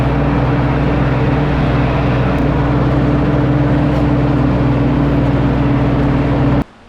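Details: 1952 Ford 8N tractor, gravity-fed fuel, in neutral, after replacing the whole carburetor to cure stalling at idle and under load: steady even drone with no stumbling or dying until shut off; normal idle, it ran 20 minutes without dying.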